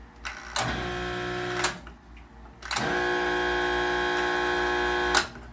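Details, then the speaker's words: Maytag Neptune MAH4000AWW washer with the water supply off: two loud buzzing, droning drain pump bursts that start and stop abruptly. The pump is straining; the second (recirculation) pump is suspected to be seized too. "the problem that's going on at the washer is the pumps I've turned water off so it's not going to fill but so the certain point the pump makes a terrible noise"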